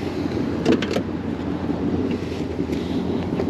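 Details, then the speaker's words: 1965 Oldsmobile Ninety-Eight, rear power window: it goes down from the main switch but will not go up, yet works from the door button; a steady, even electric motor hum with no stalling or grinding. "Par contre quand on utilise le bouton sur la porte, elle fonctionne."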